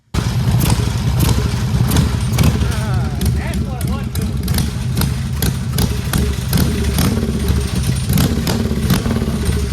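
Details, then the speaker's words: Chopper V-twin with the carburettor refitted; loud, lumpy idle with an even, loping chop and steady rhythm. Chopping nice. A sticking float and overflowing needle seat are found later. Normal idle. "and when we put that one back on on that one it's chopping nice"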